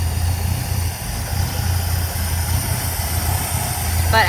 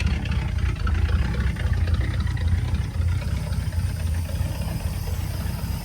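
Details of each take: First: 1959 Cadillac that sat a couple of years, engine bay: low, even idle with steady deep hum, no ticking or knocking; slight power steering pump noise, loose exhaust and vibrating sheet metal noted; normal idle, no engine knock. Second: 1959 Cadillac, sat a couple of years, low warm idle, no engine knock: faint rough growl under the idle from the power steering pump despite fluid topped up.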